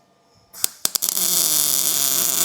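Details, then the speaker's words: Welding exhaust tubing to a thicker plate for a Mercury lakes-style exhaust, with the welder set for the thinner tube metal, so weld heat is a little low: a few sharp pops and spits as the arc strikes, then a steady hiss. "You can hear it spit back just a little bit as it starts."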